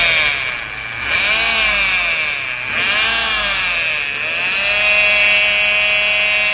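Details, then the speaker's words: Peugeot 208 3-cylinder PureTech with an oil-bathed timing belt: a high wavering whine as the shedding belt's rubber particles clog the oil pump pickup. The fix is to replace the belt, clean the pickup and use the manufacturer-recommended oil. "Começou a dar esse tipo de barulho aí, barulho igual esse aqui no vídeo aí. Pode saber que a correia dentada já está desfarelando, já está desprendendo material."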